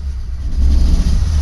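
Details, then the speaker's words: Nissan Pathfinder with a leaking fuel line spraying gasoline: low, lumpy rumble that dips and surges unevenly; misses badly from low fuel pressure. "now if you're picking this up it's missing like crazy doesn't have the fuel pressure to stay running"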